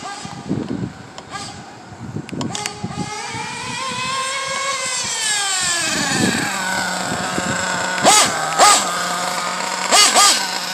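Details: Pico P3 small single during break-in, untuned, with a 16 pinion, warming up and running rich; it buzzes up and back down smoothly, then holds a slightly high steady idle between throttle blips, running healthy.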